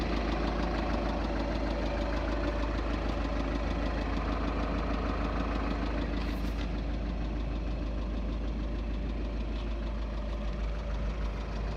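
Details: 2.0 TDI common-rail diesel at idle: a steady, deep knock around twice per second pounds through the engine, identified as worn connecting rod bearing knock.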